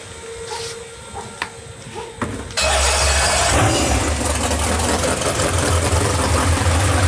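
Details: 632ci big-block Chevy drag boat engine, first start since last season after valve lash reset and oil system priming: short crank, then a deep, steady, even idle with no knocks or misses; motor healthy, though the new alternator smokes.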